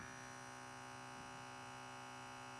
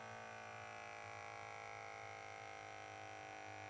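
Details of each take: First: KAATSU C4 air compressor known to be compromised, tested with several sets of air hoses: quiet steady electric hum that never cuts off as it never comes up to pressure; compressor is the fault. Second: KAATSU C4 air band leak test. The small electric pump hums evenly for about six seconds, then shuts off cleanly and stays off; this band reaches and holds pressure. Normal, while another band that wouldn't pressurize possibly has a leaking O-ring.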